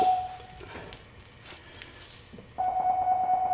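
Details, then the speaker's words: 2007 GMC Yukon rear parking assist after sensor replacement: clear mid-pitched warning tone pulses, then holds steady as the object gets close; system working properly again. "oh here we go oh it's working already well I guess I don't need to go through the test"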